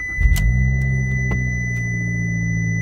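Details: 2015 car that threw dashboard warning lights after sitting, battery restored with a NOCO Genius5 charger, started after about nine days unused: brief crank, catches at once, steady even idle with no stumbling; normal start.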